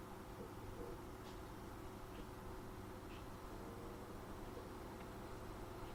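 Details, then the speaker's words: Replacement small cooling fan powered by touching its wires, tested against the original: soft, low, steady airflow hum with hardly any motor whine or ticking; it runs quietly and smoothly, much quieter than the original. "All I'm really hearing is air noise. I'm not really hearing the motor as such. I'm hearing a little bit, but not much."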